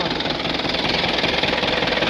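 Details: Swaraj Mazda Super XM direct-injection diesel truck, cold idle after 4 years unused. Loud rough idle with a rapid clatter on every firing pulse; cold knock, cause not confirmed.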